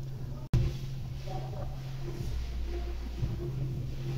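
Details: Honda Civic 1.0 turbo with P0302 and P0300 codes despite new plugs and coils: a deep, uneven drone that thickens and vibrates when revved, a cylinder 2 misfire.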